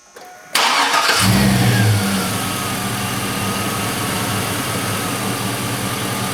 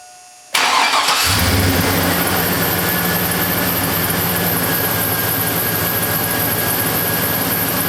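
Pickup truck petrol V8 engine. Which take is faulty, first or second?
second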